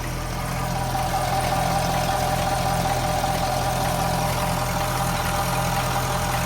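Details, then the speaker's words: Chevrolet Camaro LT2 V8 idling after intake manifold install with foam removed: even idle with light loosely regular rattle, two or three a second; owner suspects high pressure fuel pump or exhaust leak, unclear. "So one thing I was told is that once you get rid of the foam, the high pressure fuel pump makes a lot of noise. So if you hear a little like rattle, it's probably what it is."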